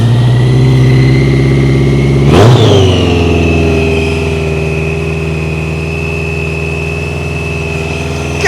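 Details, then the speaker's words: BMW K100 café racer project bike, first start after fuel tank overhaul, refilled tank, battery and ECU reinstalled: catches after cranking and settles into a lumpy, uneven, tractor-like chug on choke; rough running on cold start. "Sounds like a tractor. So, I've let it sit for a bit."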